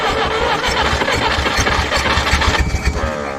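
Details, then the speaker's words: 1964 Jeep CJ-5 barn find (30 years stored, engine freed), choked by hand: uneven, ragged chuffing that tries to catch but never settles; sputtering near-start. "Oh, look how quick that was. That didn't even make half a revolution. Think we need more fuel."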